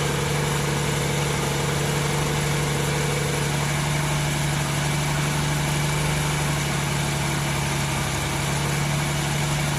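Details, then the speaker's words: 1994 MerCruiser 4.3LX V6 boat engine, warm at about 130, on fresh high-test fuel with a new fuel-water separator: steady low idle (tach about 900) with a slight lope, near stalling. It stalls after a minute or so even with throttle. Owner suspects heat. "Give it a little throttle. Look at that. You would think that it wouldn't have stalled, but it'll do that 20, 30 times. That's our problem."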